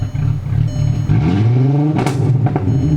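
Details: VW Mk4 GTI with 100,000-mile plug wires, after fixing a cylinder 5 misfire by replacing the broken ignition coil module, fouled plugs and wires: smooth, even engine note rising cleanly through a quick rev and settling without stumbling; no more misfire.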